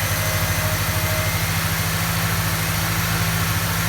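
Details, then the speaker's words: Ford XR4Ti engine cranked with the coil wire pulled to build oil pressure before first start, after a fuel leak was fixed: even starter churn at about three compression pulses a second, no firing. "so pulled the coil wire just to get some oil pressure up before we fire her"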